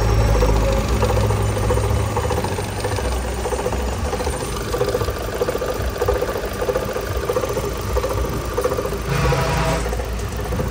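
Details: Chevrolet Cruze 1.8 engine idling with strange noise: uneven rattle on top, roughly one or two beats a second, something on the front accessories chattering; cause suspected, not confirmed.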